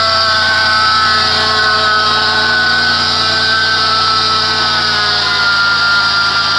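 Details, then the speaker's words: 2006 Chrysler Pacifica, 3.5 engine, started and idling, heard from the side with the serpentine belt: loud, constant high-pitched squealing grind, like a bad bearing on a belt-driven part rather than belt squeal. Worn idler pulley bearing. "it's not so much a serpentine belt squealing sound but it's almost like something hooked to the belt has a bad bearing in it"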